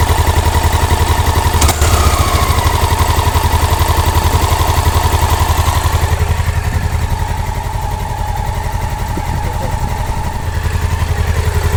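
A loud, even clacking at roughly four per second rides over the thumping single at idle; heavy mechanical clatter, cause not yet known.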